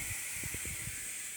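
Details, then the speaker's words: Engine pressurized to 15 psi through the air intake for a leak test: a steady, high-pitched hiss of air escaping. Soapy water confirms an intake manifold leak, so the manifold must come off. The exhaust is now sealed. "see I've got a leaf on intake manifold so now my intake manifolds gotta come off"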